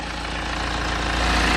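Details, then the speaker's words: BMW N47 diesel at idle after replacing the four engine cover mounts: even diesel clatter, steady and smooth, with no buzzing or rattling from the cover; previous vibration noise gone, normal idle. "I mean it is a diesel engine so you have got to EXP some shake but yeah definitely seems to sound a lot better now I can't hear the vibrating noise that what we was getting"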